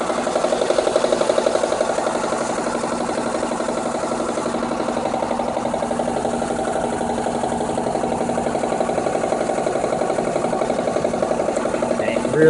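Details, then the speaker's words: 2003 Mitsubishi Eclipse GS, 147,000 miles with replacement engine around 102,000, crankshaft position sensor check-engine light, new plugs and wires: quick light ticking about three per second over steady idle, seemingly passenger side of engine bay; cause unknown. "feels like it's on this passenger side of the engine from the engine bay i don't know what it is"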